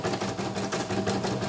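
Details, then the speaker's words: Embroidery machine M34 test run after repair of rough noise and frame hitting: quick, even mechanical ticking at steady pace, no harsh knocking; running smoothly, normal. "Ini lancar, bagus."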